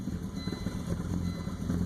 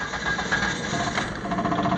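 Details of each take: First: 2000 Volvo V70 AWD turbo with the ETS light on: deep idle surging and sagging, rpm jumping around; the ETM throttle module is suspected, with no code found by a basic scanner, before a contactless ETM modification. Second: Car restarted after repair with connectors and a vacuum line reconnected: engine catches and settles quickly into a steady, even idle with no stumble or hunting; check engine light gone and it runs and idles well.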